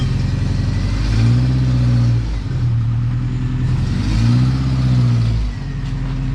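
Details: Lowered 1987 Toyota pickup SR5 driving with its newly installed exhaust and headers: deep, even exhaust rumble swelling twice with throttle and settling, no rattles; healthy.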